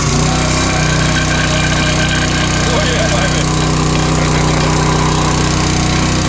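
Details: Honda GX200 196cc replacement engine on a log splitter, first start with choke on and throttle halfway: starts and settles into a steady, even putter with no misses or knocking, running healthy.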